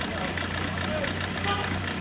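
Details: Ford Connect diesel at idle with heavy misfiring: low, uneven beat with faint knock. Injectors showed high back-leak and were removed for rebuild. Misfire from leaking injectors.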